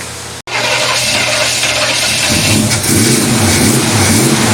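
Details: Hot-rodded 1933 Buick sedan street rod V8 first start after about five years in storage, fuel in carburetor, 30 psi cranking pressure: catches quickly into lumpy idle, revs cleanly with no knock or miss.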